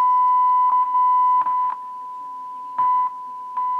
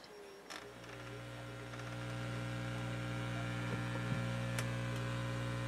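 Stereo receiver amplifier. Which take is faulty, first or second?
first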